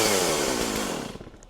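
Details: Chainsaw after first fire on full choke, restarted on second choke: the two-stroke snarls into life at high revs, then settles and fades cleanly with no sputter; a normal, healthy start.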